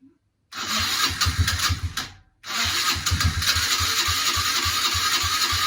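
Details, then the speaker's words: Kawasaki KFX90 ATV after a top-end rebuild, first start on a 12 V booster with no chain fitted: brief crank, catches, then a crisp single-cylinder putter at an even beat; engine sounds solid and healthy. "Alright, so that's a solid engine. Yeah? Yeah. Give it a little rev. Let's see if we run. Sounds good to me."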